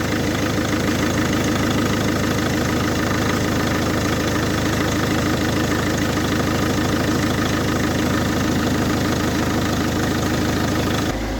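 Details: Volvo V50 MK1 1.6L D4164T 80kW diesel, after repairing faulty wiring and replacing connector pins at the sensor behind the engine that caused intermittent stalling: smooth, even idle holding steady for ten seconds with no stumble or stall; normal idle.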